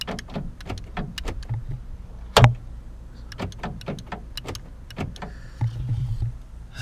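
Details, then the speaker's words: Lexus IS300 door lock after rebuilding the actuator with new motors: scattered clicks and a short low buzz instead of one clean clunk; lock still fails to lock fully, and the replacement parts are believed to be faulty too. "so I got the car put back together and I go to test it and I'm having the same issue"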